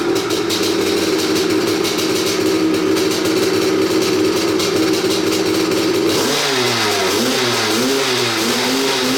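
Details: 1986 Maico 500 two-stroke dirt bike after 2.5 years sitting, fresh non-ethanol 92, no carb clean: crisp crackle settles into steady run, throttle blips rise and fall cleanly; running fine.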